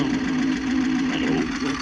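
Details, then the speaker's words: Cassette player in the radio of a 1978 GMC crew cab during a dashboard rebuild, playing a George Jones tape. Steady mechanical whirr with a strong hum near 250 Hz and hiss; the transport runs rough and very noisy, though the owner says it can be fixed. "player is very noisy but that can be fixed"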